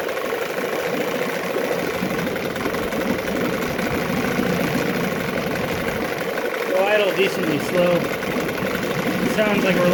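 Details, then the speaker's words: 9.9 HP Johnson two-stroke outboard being revisited after an earlier failure, refitted with a new water pump and carb kit, in a test tank. A steady, slightly slow burble around 800 rpm, uneven but never stalling, against an expected 900–1,000 rpm. Acceptable, normal slow idle. "like we're less than 1,000 RPM there. 800 or so, I guess. Looks a little less than 800 it dies, which is fine. I think they're supposed to idle at like 9 or 1,000, so I'd say we're good."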